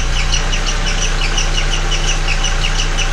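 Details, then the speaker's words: MK4 VW Golf at idle with the accessory belt removed and timing cover off: sharp high chirps repeat several times a second, matching cam gear rotation; squeak from the timing belt area, suspected camshaft/timing-related, not confirmed. "okay great it's making a noise but i really can't tell where it's coming from but if you look closely the frequency of the squeak matches the frequency of the rotation"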